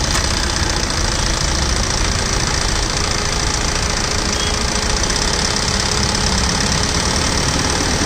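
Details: Tata Safari LX: rough, rapid clatter over a hissy engine note that stays through the revs; abnormal engine knocking noise, cause not yet pinned down.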